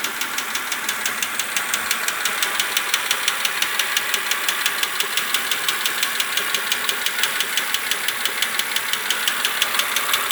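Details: BMW Z4 E86 2.5i 177 hp at idle with a sharp light metallic tick about three per second; ticking unchanged after switching oil from 0W30 to 10W40; valvetrain tick, cause unknown.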